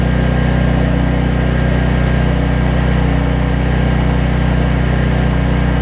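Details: Troy-Bilt 550-watt generator, after a no-spark fault was traced to the low-oil sensor module; runs with nothing plugged in, giving a smooth, even drone at constant speed with no surging or misses; output reads 264.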